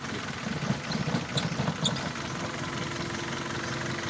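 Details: Petrol engine at smooth idle after replacing a spark plug to fix a misfire: steady low hum, a few light ticks early on, then settling evenly.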